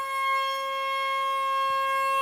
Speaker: Whoa, do you see the, okay, so let's see how much, whoa, that's a pretty good amount of power.